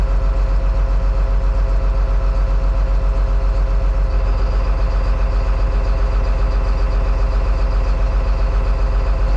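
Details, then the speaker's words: John Deere 724J loader common-rail diesel idling during a cutout test: lumpy beat about two and a half times a second; cylinder two makes no difference when cut, so it isn't firing, injector or wiring suspected. "Oh, you know what? I'm not even hearing cylinder two make a difference."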